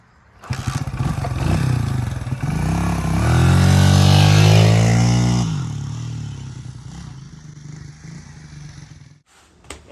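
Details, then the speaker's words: 1977 Honda XL75 single, revived after long storage with minor fixes: revs smoothly to a peak, settles to even idle, no knocks or misses; runs healthy, though it smells gassy and owner thinks the carb may need rebuilding. "Today's episode, we got this little 1977 Honda XL75 running for the first time in who knows how long."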